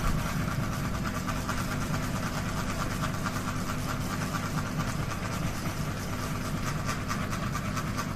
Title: Ceiling Fan Noise Rotation Wobble | Kipas Angin Gantung Bergoyang Berisik, #ceilingfan #kipasangin